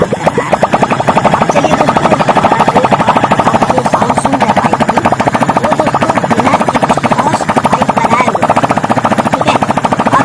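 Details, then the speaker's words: Hero Passion Pro single-cylinder bike after full engine fitting and first start, mileage setting still to be adjusted: fast, even exhaust pulses with no misses or knocks; smooth, healthy idle. "आप देख सकते हैं दोस्तों इसको bike को start करने के बाद आइडल में जाने के बाद करते इसकी माइलेज सेटिंग कर लेंगे"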